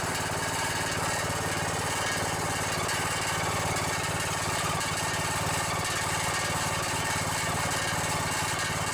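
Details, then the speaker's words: Riding mower with a Briggs & Stratton single-cylinder OHV engine: a steady run with a fast, tinny buzzing rattle over the exhaust note from a loose muffler; engine otherwise sounds good. "bit yeah that rattle is some muffler well other than that muffler rattling sounds pretty good"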